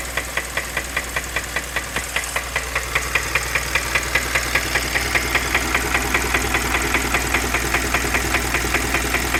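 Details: 2015 Kia Optima petrol engine idling with a sharp, steady knock about two and a half times a second.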